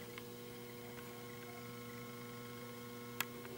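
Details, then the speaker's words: Circulation pump for a Vulkan heating boiler running off an ordinary computer UPS during a power cut: steady low electrical buzz with a rough growl, because the UPS doesn't give a pure sine wave; pump still runs and pumps. "Ну вот бесперебойник. Обычный с компьютером. Только слышите звук какой? Слышно, да? Такой урчит."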